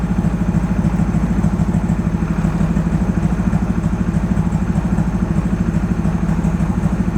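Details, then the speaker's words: Rebuilt high-compression turbo Mazda Miata, base timing set and downpipe on: lumpy, loping idle with missing pulses. Compression test found 200 PSI on cylinders one and two and zero on cylinders three and four. "It sounds like it's down a cylinder is what it sounds like to me."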